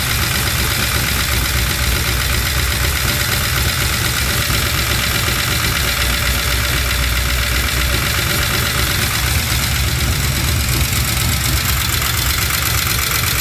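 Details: LS-swapped Chevy C10 with new lifters and reinstalled head gaskets and heads: steady V8 idle with light fast top-end ticking; valve train tap persists, code reader shows timing advanced, owner suspects cam was installed mistimed.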